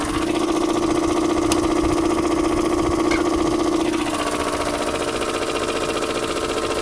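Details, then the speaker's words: 2003 Mazda Protege5 at idle, hood open, drives normally, no warning lights, clean oil, slight oil leak: light even tapping about four per second from the middle; owner suspects alternator bearing; knocking noise at idle. "everyone, this is my 03 Mazda Protege 5, and it sounds like something's knocking in it or not right."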